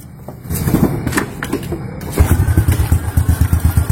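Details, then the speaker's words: Motorcycle that would not idle, fixed by sealing a leaking intake manifold, idle setting unchanged: after handling noise, engine settles into a steady low thumping idle without hunting or stalling; normal idle after repair. "Teman-teman, mesinnya sudah menyala, sudah normal kembali. Langsungnya juga normal."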